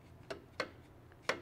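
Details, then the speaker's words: Stihl FS 91R trimmer that died in use and is locked up; the recoil won't turn. Turning the flywheel by hand gives three sharp clunks, and the rocker arm moves but the piston doesn't. This is a major internal engine failure. "but you can hear that clunking noise and I got a rocker arm I got some rocker arm movement here but my piston is not moving in the cylinder so that is not a good thing"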